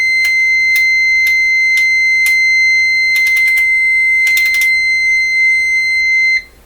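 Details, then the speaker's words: Canadian Westinghouse 981 shortwave radio restoration: multimeter clipped in, one side grounded, the other on a mystery wire, set to continuity; steady high-pitched beep about six seconds with faint clicks, signalling continuity to ground. "set my meter to continuity so it's going to give a tone if there's continuity"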